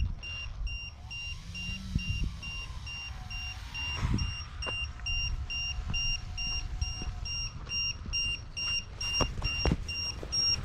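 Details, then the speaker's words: E-Flite Turbo Timber 1.5m RC plane in flight: loud high-pitched lipo alarm beeping in steady on-off pulses, threshold set too high at 3.9V; two cells read 3.88V, pack at 15%; low cell voltage alarm. "Oh, is that 3X? One of the cells is at 388, that's why it's going off. Well, two of the cells."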